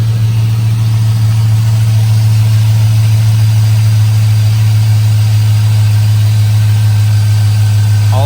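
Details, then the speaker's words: 2005 Chevrolet Silverado 5.3 V8 after fitting factory valve covers, AC Delco gaskets and a new PCV tube to fix a leak past aftermarket valve cover gaskets; smooth steady idle with no hiss, vacuum leak gone. "Well, sounds pretty good to me. I don't hear any more vacuum leaks."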